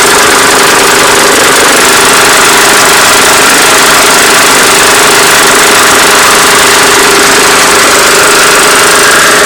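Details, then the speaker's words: Oil-burning, low-compression lawnmower from about 2006 with worn pistons and rings, refilled with straight 50-weight oil plus a little STP: loud, steadier, smoother single-cylinder drone with a light rattle, not a rod; much less smoke, running better. "Yeah, the stupid thing actually is running a lot better. Now there's a rattle in here. That's not a rod, it's actually a rattle. But yeah, you see some smoke, but it's nothing like what it was."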